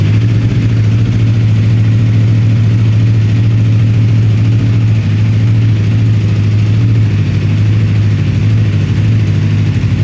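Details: 2026 Aprilia RSV4 with Akrapovic muffler, on dyno: deep, even idle rumble holding a steady beat with no rise and fall; stable idle, unlike the short SC Project muffler which causes idle hunting.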